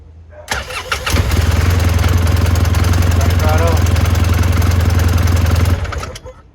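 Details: 2012 Polaris RZR 800 S that had no spark and wouldn't start, fixed by replacing ignition switch: brief cranking, then engine catches and settles into steady even low idle, no misses or knocks; normal cranking and start.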